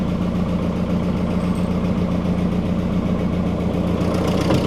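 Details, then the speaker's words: Freshly rebuilt engine on first start after cranking to prime oil, with hood closed; steady, fairly loud idle with an uneven chuffing pulse and no clear knock; the owner is unsure why it is noisy and suspects it needs break-in. "No, it's not much quieter. Maybe she just needs to break in."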